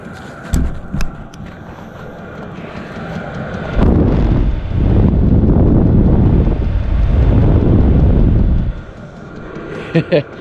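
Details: Vevor 8 kW 12V diesel air heater, manual mode at level 10, microphone at air outlet: strong even rushing roar of air with steady fan whistle, no rattles; normal full output.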